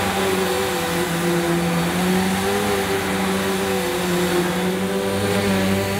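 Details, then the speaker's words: Electrolux Cyclonic Lite bagless upright vacuum (circa 2005, new in box) on the shortest height setting over carpet: steady motor hum with the brushroll clearly whirring, pitch wavering as it's pushed. Normal running; the cyclonic unit was possibly not seated on the earlier run. "well that sounded a bit different didn't it I could certainly hear the brush this time"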